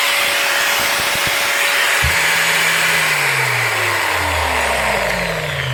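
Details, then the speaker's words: Older Bosch GWS9-115 900 W 4.5-inch angle grinder, non-speed-control, after cleaning brushes that were stuck by packed fiberglass: a clean, steady motor whine that holds pitch and winds down smoothly, now running normally. "look at that working perfect"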